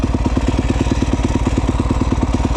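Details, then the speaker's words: 2011 Yamaha YZ250F four-stroke after valve adjustment and carburetor clean, kick-started in neutral without throttle after weeks of not starting: even single-cylinder idle thumping, regular with no misses; healthy. "started right up thing hasn't started in the couple of weeks so I'm pretty happy all that it's a sweet little bike too"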